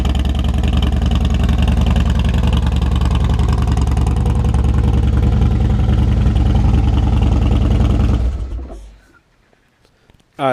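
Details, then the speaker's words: Harley Dyna Wide Glide, first run after reassembly with the tin set and tank installed. Even loping V-twin idle at about three and a half beats per second, then the engine shuts off cleanly; sounds healthy. "Alright, I don't know about you, but this thing looks good, sounds good, it's fully back together."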